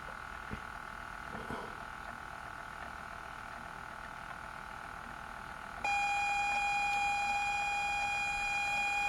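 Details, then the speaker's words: ZX Spectrum +2A tape drive after replacing the tape belt and applying white lithium grease, case reassembled: steady high loading tone then clean, even data screech; cassette loads the game properly. "well there we go so that cassette works now for that game"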